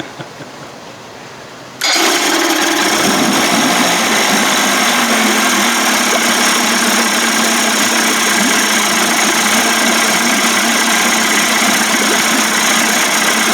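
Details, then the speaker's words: Johnson 25 hp two-stroke outboard converted to 30-35 hp with larger carb and 72D jet, push-button start: fires instantly and settles into a crisp, steady buzz with an even beat and no stumbling, quiet and healthy idle. "that was fast quiet sounds good"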